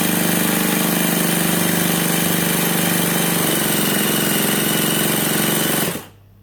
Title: My nitro rc car wont start